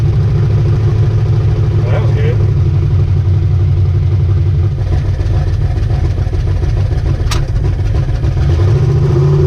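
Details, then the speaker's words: Ricky's 750 blow-through carburetor on a V8, with a 6.5 power valve, no pump shot, under test: a strong, steady rumble picking up cleanly on throttle and settling without stumbling; best it has run so far, normal running. "All right, just tested Ricky's carb, and that's the best it's done so far."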